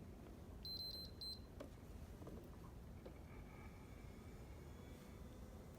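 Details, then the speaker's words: PS4 after cleaning dust, new thermal paste and cooling fan replacement, powered on: beep, then a faint, even whir with no rattle or grinding; fan runs smoothly and quietly. "as you can hear now it's spinning smoothly nice and quiet smooth operation"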